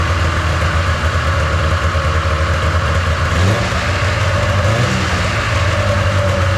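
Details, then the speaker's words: 1997 Polaris Indy 500 snowmobile that sat outside frozen to the ground, first start after adding fuel. The two-stroke runs with a buzzy, wandering note and the idle sits noticeably high; fast idle needing adjustment. "oh one it seemed to run okay it's seemed like it's uh idling too fast I'll have to adjust the idle on it a little bit"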